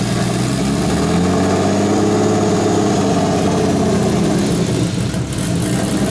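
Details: Turbo BMW E36 (72mm KKK turbo, KDFI ECU) just started, cold: idle rises and falls slowly instead of holding steady; owner attributes idle surge to a vacuum leak, says it calms once warm; coolant low, suspected air bubble.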